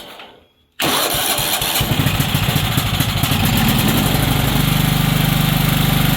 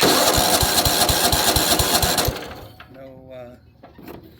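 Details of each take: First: Weed Eater riding mower with Tecumseh OHV130, previously a no-start, after repair: catches after a short crank, then settles into a steady, even single-cylinder thump with no misses or knocks; normal start and idle. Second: Weed Eater riding mower, Tecumseh OHV130 engine: starter turns it over in even strokes, about four a second, without catching. No spark; a missing ground or a bad coil are suspected.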